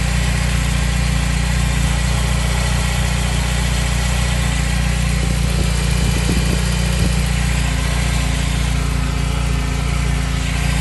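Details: BMW E30 318iS idling with a thin, steady high squeal from the power steering belt, loud on startup and when the steering is turned.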